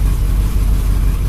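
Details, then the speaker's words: El Camino with Demon carb, fuel probably about 6 months old, restarted about 36 hours after starting fluid cleared the clogged carb: cold engine idles with a deep, steady, even rumble, no surging or hunting; normal cold idle. "But it's idling okay. I mean, it's just cold, so. It's not surging or nothing. It's idling all right."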